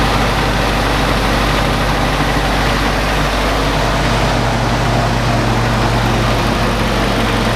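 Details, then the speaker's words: Willys CJ2a L134 Go Devil four-cylinder after new copper head gasket, burning a little oil, valve tapping noted: steady even low rumble, no misses or knocks, not vibrating badly, constant speed; normal running. "but she's not really vibrating real bad nice she's running pretty smooth so besides that little bit of oil she's running like a champ"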